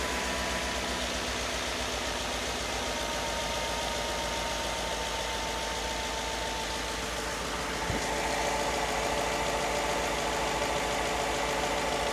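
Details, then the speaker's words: 240,000-mile Ford F-150 V8, true cold start after new spark plugs and air filter: steady, even fast idle coming down from high idle, soft regular pulse, no knocks, misses or shake; running on all cylinders. "She's purring. Legitimately purring. Barely any kind of shake to it."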